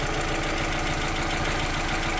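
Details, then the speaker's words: Renault Twingo mk1 idling right after catalytic converter replacement: an uneven, lumpy, choppy idle with a hollow exhaust note. An exhaust leak was suspected but none was found; the new cat reportedly needs warming up. Cause unclear. "okay sounds a bit choppy I don't know whether maybe I'll put a a leap or something but I can't really see any leaks at all"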